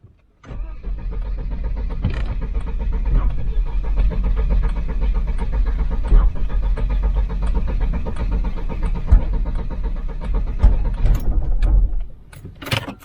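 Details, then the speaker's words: Volvo 940 Turbo that sat about a year, just pressure-washed: engine churns and stumbles unevenly, never settling before dying, after cutting out on the road with no dash lights; owner suspects water in electrics or distributor. "He never watched it, he knew. He knew. Just broke down. Just cut out on the main road."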